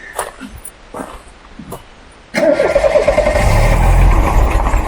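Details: Restored white 2.0 automatic Mk3 Ford Cortina GXL with no park inhibit: quiet shuffling, then a short crank, engine fires first time and builds to an even idle; clean cold start.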